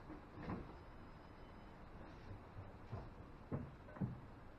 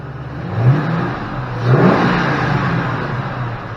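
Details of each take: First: 2005 Ford Mustang GT no-start: a few quiet clicks, then it fires and idles slightly unevenly once the MAF sensor is unplugged, pointing to that bad MAF sensor. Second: 2005 Ford Mustang GT after installing a new Ford factory sensor: steady even idle with two clean throttle blips; fuel pressure about 33 psi, within 33–35 spec; healthy running.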